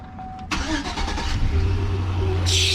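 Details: 4.8L LS V8 in a totaled Chevy Silverado (chunked stock fan clutch), restarted: starter whirs briefly, then it catches and settles into a steady, even, smooth low-rumble idle; sounds healthy.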